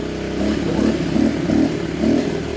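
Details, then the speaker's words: Kawasaki KLX110 (2003) after a fresh engine rebuild, choked and not yet warm: the small single buzzes fast with a surging rise and fall about every half second; idle speed is set too high. "turn that idle back down so it's not idling so high"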